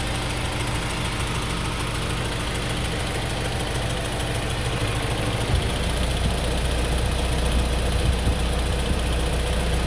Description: Vid to show my '03 S2000 ticking after a recent AP2 retainer swap and multiple valve adjustments.